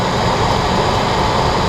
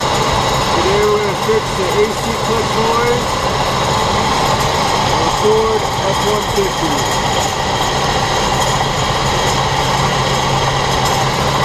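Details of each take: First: 2003 Ford F-150 4.6L V8 idling smoothly with steady even hum after replacing the bad A/C clutch, pulley, coil and bearing; rattle gone, repaired. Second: 2003 Ford F-150 4.6L V8 idling with a rough, steady grinding rattle from a bad A/C compressor clutch and bearing; fixed by replacing the A/C clutch assembly (clutch, pulley, coil).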